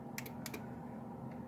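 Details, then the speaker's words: Window stopped rolling down one day; each switch press gives sharp paired relay clicks under the dash but no window motor whir; about 9 volts measured at the motor wires both up and down, motor suspected. "you can hear a relay clicking under the dash to go down."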